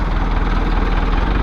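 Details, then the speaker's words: Diesel engine idling after a hard start, battery run down by cranking and recharged to 63 percent, then it cranked right over: steady, even low chug, smooth unbroken beat, no misses or knocks; normal healthy idle. "funny it cranked right over this time yes the battery was just a little low"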